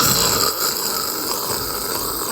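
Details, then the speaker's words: Ford Explorer Sport old wheel hub removed: steady, gritty rasp as the hub is turned by hand, worn bearing grinding, sounding just like it did while driving; replaced with new hub. "You hear the bearings? You hear that grinding? It sounds literally just like this when you drive."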